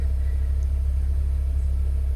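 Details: 2001 Mini R50, petrol, after fuel pump and fuel filter housing replacement, fuel gauge low: steady, low, evenly pulsing idle with no misses, knocks or stumbles, running smoothly.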